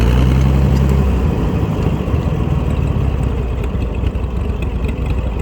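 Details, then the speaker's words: Massey Harris 102 Senior flathead tractor engine, first run in 10 years, magneto ignition: slow, even low thump about four beats per second with no misses or knocks; healthy low idle. "oh yeah that sounds so good I love that low idle flatheads are great for that"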